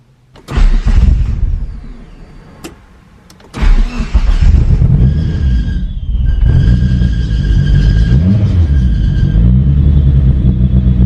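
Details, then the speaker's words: Talon DSM, first start after new head gasket and transmission rebuild, idle air valve replaced by block-off plate, running rich: lumpy uneven idle, can't idle properly, steady hiss; air leak suspected, not confirmed. "yeah it can't even idle right now and this a really interesting sound coming from somewhere sounds like a air leak or something"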